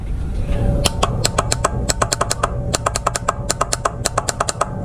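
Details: Boat trim system: rapid, sharp clicks about six a second with no motor hum when switched from the helm or the side switch. The trim motor itself runs when powered directly, so the failed trim relay is chattering and needs replacing.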